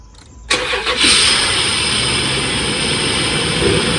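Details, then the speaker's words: Cold start of a sludged Dodge Dakota 3.7 after replacing three collapsed lifters without removing the camshaft: brief crank, catches and settles into a steady idle with no ticking yet; loud hiss is from open vacuum lines; normal cold start. "now this is a cold start it never did have a tickle to cold start so it may still come but so far so dirty all that noisy here is vacuum lines that are open"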